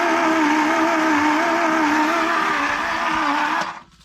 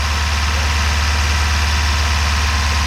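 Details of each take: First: 1978 Ford Courier engine, sitting 29 years and just unstuck, cranking on a charged battery in about 25°F cold: steady strained whirring that sags, well below normal cranking speed; turns freely, spitting out Marvel Mystery Oil, but too slow to fire. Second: 1978 Ford Courier mini truck, first start after sitting buried for 29 years in about 25°F cold: low, steady idle drumming with even beat, no knocks or misses; smoking a little, oil pan possibly rusted out. Normal idle.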